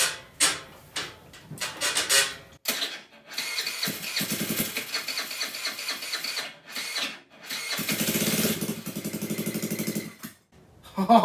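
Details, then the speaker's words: GY6 139QMB Honda Ruckus clone freshly rebuilt with a 100cc big bore kit: it cranks, catches and runs loud and raspy with throttle blips. It runs fine; there is an exhaust issue, so the old exhaust will be cut. "alright guys well it runs and that is fantastic news so all we've got left to do is figure out this exhaust issue"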